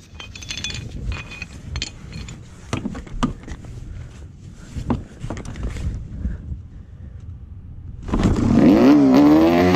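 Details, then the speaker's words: Yamaha Banshee two-stroke engine swapped into a shifter kart, cold first start: picks up about eight seconds in and holds a high, wavering idle. Owner suspects a missing fuel return line causing overflowing. "I don't know why it's idling really fast cuz I have the uh throttle as far back cuz I think I can get it"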